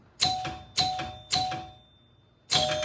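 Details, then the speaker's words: 1977 Gottlieb Bronco pinball machine after score reel cleaning and 10-point scoring relay switch adjustment: three quick chime strikes with mechanical clunks, a pause, then another chime as the reel rolls from 90 to zero, carrying over to 100 properly. "now the question is does it carry over to 100 when we get to um 90 and then go to zero"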